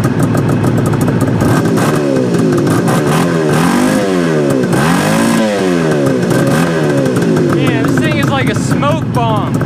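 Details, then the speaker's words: 1973 Suzuki GT550 two-stroke triple, first start after 10 years stored: crisp ring-ding revving up and down smoothly, no knocks; heavy exhaust smoke, owner suspects a blown crank seal, unconfirmed. "or a smoke machine or something it sounds amazing though got a lot of crap coming out of the exhaust pipe guys I mean a lot"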